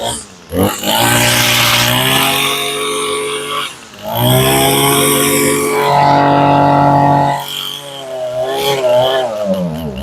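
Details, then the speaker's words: Warm, well-tuned two-stroke weed eater being winterized, run with the fuel tank emptied: it surges, sags and sputters unevenly as the carburettor runs dry just before stalling; fuel starvation stumble. "Now you can hear it. You heard it fighting and you can hear it taking every last drop of gas out of the carburetor."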